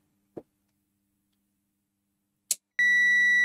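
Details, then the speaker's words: Miele dishwasher heater relay (F24 fault / staying cold) after cleaning and drying, mains back on: a sharp click, another click as the coil pulls in, then a steady meter beep; bottom contact set now closing and conducting normally. "yeah it's working now"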